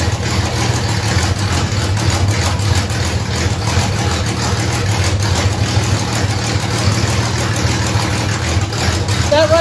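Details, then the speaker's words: 1967 Ford Mustang under restoration, V8, after fixing the carburetor that caused running trouble: steady, even low rumble with no misses, stumbles or knocks; idles smoothly. "we want to make sure this thing starts again and is running properly but it was the carburetor so that's awesome news and it seems to be working good right now"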